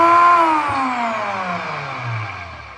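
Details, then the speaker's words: Cardi T4 core drill motor whines and winds down, pitch falling; gears found dry but fine, noise traced to a stiff, worn armature bearing dragging on the spin. "Donc là, problème de roulement ou un pignon qui déconne à voir."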